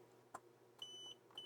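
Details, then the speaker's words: Side power button on a non-booting TheC64 Mini, tested with a multimeter on continuity beep. A click, then two clean high beeps, each as the button closes: continuity beep, switch working. "yep that's working no problem so it's fine because obviously if that button were bad that would keep it from booting"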